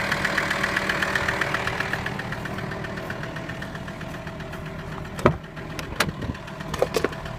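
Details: VW T5 with AXD diesel engine at idle: a rough, uneven knock rides over the diesel clatter at about four per second. Something is knocking inside; the cause has not yet been found.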